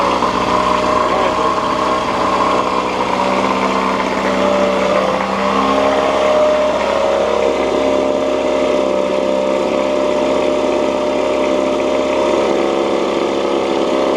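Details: 1986 Johnson J4BRHCDE 4 hp Seahorse two-stroke outboard after head gasket replacement and carburetor cleaning, slightly warm, no choke: steady buzzing idle holding even pitch without stumbling or surging; running cleanly.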